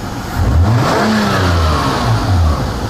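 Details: Toyota Camry after sensor replaced, fixing intermittent no-start and backfiring: quick throttle snap revs up cleanly and drops back smoothly without stumble or popping.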